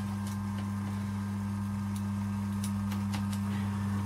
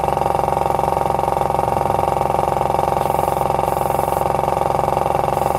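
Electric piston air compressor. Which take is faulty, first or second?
first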